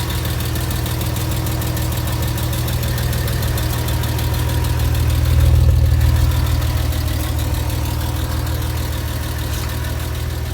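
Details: Porsche Boxster 986 at hot idle after spirited driving: quick even ticking about four per second, mostly from driver's side, vanishing after parked two minutes; lifters or exhaust suspected, cause unknown.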